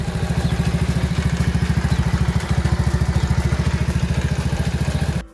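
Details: Motorcycle idling with a steady, even low thump, about three and a half pulses a second, after the stripped exhaust stud bolt at the engine was replaced with a slightly thicker bolt; normal idle.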